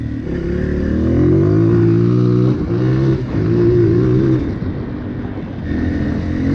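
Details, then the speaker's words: 2003 Honda CRF230F after carburetor cleaning, rebuild and jet tuning, cool day, baffle in exhaust: revs crisply and evenly through throttle blips, no bogging or misfire, settles cleanly; maybe slight hanging idle, running well. "Oh yeah, this thing runs great now. It's ready to go."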